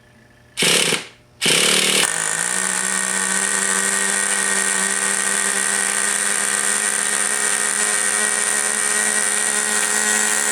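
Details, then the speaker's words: Rebuilt Traxxas T-Maxx .15 nitro engine, first run after rebuild (missing copper gasket and loose glow plug were the fault): couple of starter bursts then steady high-pitched buzz at even revs; running cleanly, starter one-way bearing still slipping. "Well, it does run as a matter of fact. Excellent."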